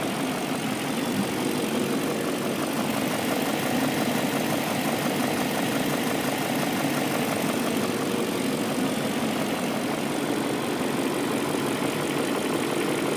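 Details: BMW M62B44TU V8 at idle with stock exhaust, right after replacing the timing chain tensioner with an INA aftermarket part to cure chain rattle: steady even idle, smooth hum, no rattle or knock; chain sounds quiet and healthy.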